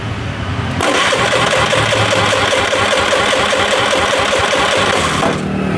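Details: Honda Vario 110 FI with a stalling fault and intermittent injector spray, cranked while testing a new injector. About four seconds of quick, regular starter churning never fires; crank, no start, and the injector likely isn't the cause.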